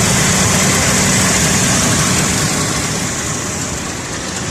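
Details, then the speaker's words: 2001 Ford Explorer 4.0 L at idle, warming up: sharp regular puffing tick in time with firing, suspected exhaust manifold leak on left side, smoking more on top of the manifold as it warms. "hello guys today I've got a Ford a 2001 Ford Explorer truck style Edition 4 liter truck that appears to have an exhaust manifold leaked right on the left-hand side of the engine"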